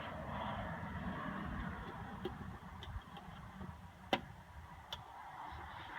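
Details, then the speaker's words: 1978 Kohler 4000 W generator with old rotten fuel, powered by a jump box in the battery spot: sharp uneven ticks over a low rumble at switch-on as the electric fuel pump primes normally, before cranking. "It's when I hit the switch here, I can hear the pump come on."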